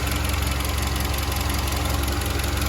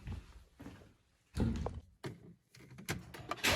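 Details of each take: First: SsangYong Kyron 2.3 petrol, 69,000 km, after water pump replaced and loose belt tensioner temporarily shimmed with electrical tape (tensioner damper still has play, likely needs replacing soon): steady even idle, smooth low drone, no knock or rattle from belt area; normal idle. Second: SsangYong Kyron 2.3 petrol, 69,000 km, running after start: a steady knock of about four beats a second seems to come from the timing chain or thermostat area. Pump replacement didn't cure it; it is the belt tensioner damper knocking, its mount having play.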